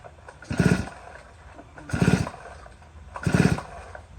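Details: Neglected Stihl 034 AV chainsaw, borrowed for years and run hard, missing a bar stud and leaking oil, fresh synthetic two-stroke fuel, choked: three heavy, labored pulls, each a dull rough groan that never catches; scored piston and cylinder.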